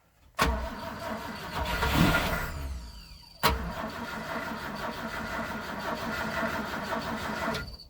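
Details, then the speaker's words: 1973 Land N Sea Craft boat, several years sitting in the desert, fresh fuel, outdrive in water: two long cranking bursts of steady starter churn, never catching; engine turns over but won't fire, fuel delivery suspected. "Okay, hold off for a sec. Let me see if there's fuel in the fuel line. Sounds like it wants to start."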